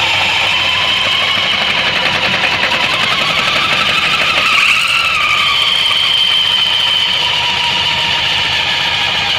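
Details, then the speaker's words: Suzuki Burgman 650 variator with sheaves brought together: steady engine drone, even belt whir and high whine, no ticking; whistle gone and secondary shaft turning normally. "Даже на разведенных щеках вторичный вал вращается у нас. Так, сводим щечки. Звук пропал. Вал вращается."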